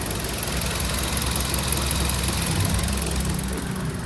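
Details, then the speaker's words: Car engine after re-tensioning the timing chain: a smooth, even low idle with no tapping or chain slap. The earlier timing-chain noise is gone after repair. "Finally इसको fitting हो जाने के बाद आप sound सुनो 100% finally य problem solve हो चुकी है आप देख सकते हो इंजन का नॉइस बिल्कुल भी नहीं है"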